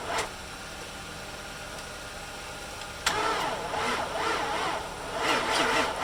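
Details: 2006 Infiniti FX45 that sat since March, new battery being jump-started, fuel pump confirmed working, only faint spark: starter drags the engine over slowly in uneven pulses of two or three a second and it never catches; slow crank, no start.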